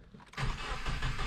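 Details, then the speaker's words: Subaru WRX just after overdue spark plug change: brief crank catching almost at once, revs climb smoothly without stumbling; starts right up, normal. "it starts right up all right this thing is filthy but it's okay because i love her"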